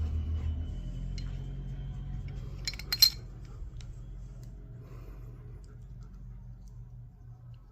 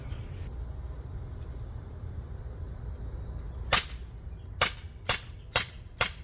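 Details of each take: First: CO2 pistol stored over a year with a full canister that had leaked down: a new canister is pierced in a quiet room, giving a sharp hiss of about a second and a half, then it settles. The seal held and it pressurized without leaking. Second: CO2 pistol stored over a year with a full CO2 cartridge, fired with a new cartridge: five sharp, crisp, equally full cracks about half a second apart; seal still holds gas. Normal firing.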